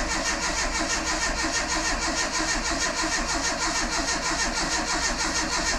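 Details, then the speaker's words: Renault Super 5 after engine rebuild, first start attempt with ignition not fitted and carburetor not set; even starter cranking with no knocks or clatter, normal; sump oil leak noted. "déjà ça tourne au démarreur il y a pas de bruit bizarre ça a pas fait glingging il y a rien qui qui qui fait chier pour l'instant"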